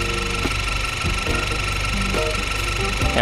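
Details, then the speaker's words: 10th-gen Honda Accord with a P0087 fuel rail pressure too low code and extended cranking, warm idle: a sharp, rapid chirping tick rides high above the engine note, diagnosed as a bad high-pressure fuel pump. "that's noisy mhm mhm mhm mhm okay I don't know how to put this sir but you have a bad highpressure fuel pump"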